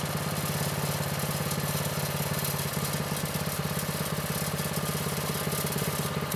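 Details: Vintage Manco Streaker mini bike, repowered with a Predator 212 6.5 hp engine, unrun for years; drive disconnected, idle raised from too low. Single cylinder putters at a steady, even beat with no misses or surging; running well.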